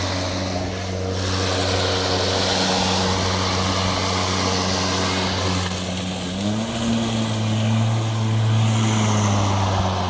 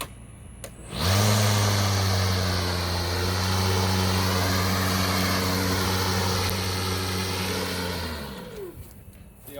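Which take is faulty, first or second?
second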